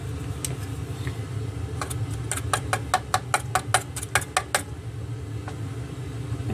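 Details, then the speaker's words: Sony STR-313L receiver's speaker gives a steady low roar, worse when heated, with sharp tap crackles; noisy first-stage amplifier transistor Q501 is blamed. "do some heat see what happens since you're getting deep a roar now there's pretty sure it's that transistor that you hear if you tap it"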